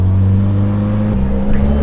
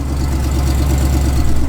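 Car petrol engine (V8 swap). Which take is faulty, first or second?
second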